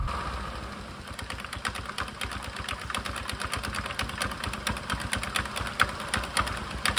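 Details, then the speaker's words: Suzuki Access scooter idling with the rear CVT cover removed and the drive belt visible, after a sudden loud rear noise; uneven rapid clicking and slapping as the belt moves oddly, belt found with many broken teeth. "तो दोस्तों तरफ देख सकते हैं drive belt कुछ अजीब तरीके की हरकतें कर रहा है तभी माइक बंद करके देखते हैं इसमें क्या खराबी आई है वह किधर मैंने नोटिस किया है कि मेरा बेल्ट के दांत जो है वह टूट गए हैं"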